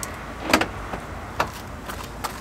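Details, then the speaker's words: Keyless central locking fitted to a door on a stand, tested after fixing the setup. Sharp lock-actuator clunks at about 0.5 s and 1.4 s when the door is closed; the door locks, so central locking works normally. "let's close the door and see if it locks get up yes actually locks"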